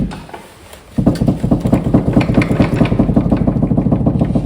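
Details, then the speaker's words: 2011 Ford Mustang rear suspension rocked by hand: quick, repeated hollow clunks about two a second, matching the clunk heard while driving; worn rear sway bar end links, with worn shocks also being replaced. "that sounds exactly like the clunk we keep hearing when we're driving"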